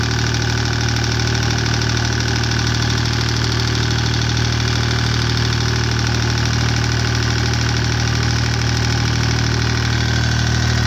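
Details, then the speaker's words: Deutz 2009L03 3-cylinder direct-injected diesel on a test stand, cold at about 52°F after start; steady even idle with light injection clatter, no misses or knocks. Normal cold diesel idle. "So it seems to run pretty good."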